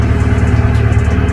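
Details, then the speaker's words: Honda Civic 8th gen warming up on a freezing morning after a no-start fix, scanner showing zero codes with battery recently disconnected; recent valve cover replacement; smooth even idle, less smoky as it warms; normal idle. "anyways as the car is warming up it's not really as much smoky it's probably for not being turned on"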